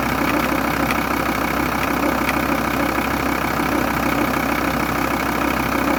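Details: VW T4 2.5 TDI (AUF engine) diesel idling: steady, fairly even tick about three times a second over the clatter; vacuum pump suspected defective, not confirmed.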